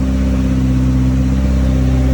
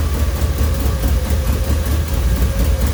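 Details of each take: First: Home-built Toyota Celica GT-Four engine running after its first start, heard up close. A steady, smooth drone at even revs with no knocking; the faint whirring is the turbocharger. The engine sounds healthy. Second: Toyota Celica GT-Four home-built engine, first start, manually fuelled and running rich, no exhaust manifold gaskets: deep uneven lumpy idle with stumbles and raspy hiss; owner suspects old fuel in the tank being fed to the engine.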